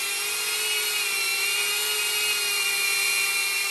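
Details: Diatone Taycan 25 cinewhoop on an 850 mAh 4S battery with a Caddx Vista, after 3D-printed duct sleeves closed the gap between ducts and props: an even, steady high-pitched whir with constant tone, no flutter or buzz, running smoother and quieter.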